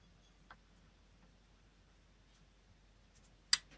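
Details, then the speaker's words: Honeywell/Resideo PA404A steam boiler pressuretrol with its switch tab bent down by screwdriver to allow low settings: quiet room, then two isolated clicks about three seconds apart, the second sharper; the switch barely engages and needs bending further. "it a click and you hear another click maybe so we're at the bleeding edge but we're not there yet"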